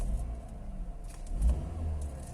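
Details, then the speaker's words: Used Honda Jazz, manual, inspected before purchase, bonnet open, rpm stable even with AC on; short throttle blips rising and falling cleanly with smooth deep rumble, no rattles or knocks; normal engine revving. "Teman-teman bisa dengerin suara mesinnya seperti ini teman-teman kalau kondisinya lagi normal."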